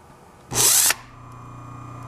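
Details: 1920s Century repulsion-start induction electric motor, windings rewired back to original connection after a humming no-start test: brief loud rush at start-up, then steady even clean hum; starts and runs normally.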